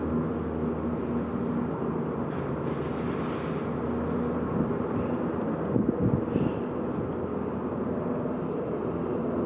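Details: Peugeot 206 RC on the road: a steady low droning hum under rolling noise from a worn center support bearing in the middle of the drive shaft.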